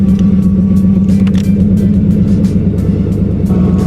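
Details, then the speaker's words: Turbo Ford Thunderbird automatic at idle in park or neutral: a steady whine that stops when put into gear; owner suspects the torque converter or the transmission front pump, unconfirmed. "so I thought it was a torque converter wine I think that maybe they make it in part too but it sounds like it's coming back who knows see the sound stops when I put it into a gear it's only in part and then a neutral it comes back"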